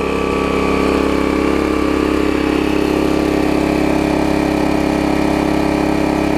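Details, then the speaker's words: 1981 Snapper RER single-cylinder mower: smooth, steady, no surging or misfire, at a slightly high speed; a governor issue is suspected. "so let me crank it back up we won't struggle this time I'm fairly confident here it is running fine now"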